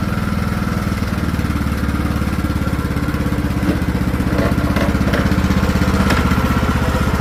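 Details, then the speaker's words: Craftsman T1600 riding mower after new carburetor replacing a corroded one, fresh fuel, mowing: steady beat with a slow, faint rise and fall in speed; surging under mowing load, cause unknown to the mechanic. "I don't know why it was surging. New carb. The hose is still on."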